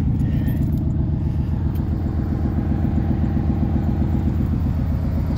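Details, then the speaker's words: 1995 Chevrolet Silverado cold start in snow around 30°F after sitting with a flat tire: steady, even low rumble with smooth firing beat, no knocks or misses; healthy idle. "we'll do a 95 Silverado snow start this one's been sitting with a flat tire for a while no problems"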